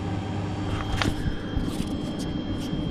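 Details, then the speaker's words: GE refrigerator that clicked and wasn't cooling, after fitting part WR07X10131 in place of discontinued WR08X10089: steady low hum with a faint constant high tone and a few handling clicks; compressor running normally. "and by golly it's working well that was that it's how you fix the clicking noise from the bottom of the refrigerator"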